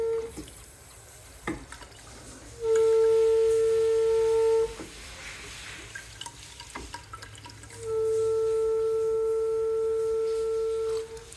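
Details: Sink water pipes give a loud steady whistle near 470 Hz in two long bursts over running water, occurring only when another faucet or sprinklers run.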